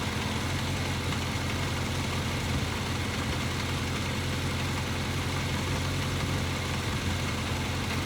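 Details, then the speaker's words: 1983 Kawasaki KZ750 Spectre with four carburetors, after fixing incorrect carb parts, during fuel/mixture screw tuning; steady, even idle with a smooth hum and no stumbles, the screw set where the idle peaks. "So I'm pretty happy with that one. It'll turn, let it settle. You can hear the motor go down."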